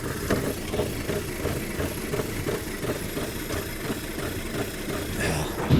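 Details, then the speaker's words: Audi TT from Copart being repaired after mechanical damage, just started with intake, air filter and mass airflow sensor installed: uneven idle with loose, clattery tapping about three times a second; running rough, source unclear. "And it's running rough already. I don't know where that sound is coming from."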